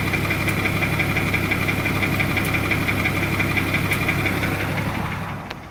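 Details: 2004 BMW 325Ci, M54 petrol six, idling: quick steady tick about three a second from the top of the engine, passenger side; rod knock feared, general diagnosis lifter/carrier noise; 15W-50 oil nearly eliminates it. Top-end ticking at idle.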